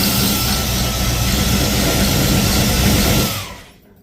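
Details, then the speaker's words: Ford Falcon XB hardtop restarted after an earlier noise, run briefly with no coolant in it: even, steady idle with no knock or tapping for a few seconds before shutoff; earlier noise gone, cause unknown; normal idle. "But yeah, that's that noise is gone now. Don't know what the hell."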